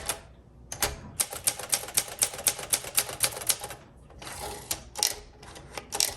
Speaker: It is typing extremely well. This is one of those instances where looks can be deceiving.